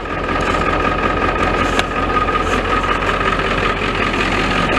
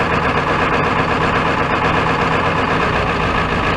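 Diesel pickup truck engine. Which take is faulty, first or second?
second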